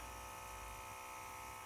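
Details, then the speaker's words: Millyard Viper V10 motorcycle, built 2009, about 9,150 miles, ignition switched on after a year of little use: a steady thin electric whine for two seconds as the clutch booster, fuel injection and water pumps whir; normal priming. "I switch on the ignition to check the electrical systems, and I can hear the clutch booster pump, the fuel injection pump, and the water pump whirring away, so that's a good sign."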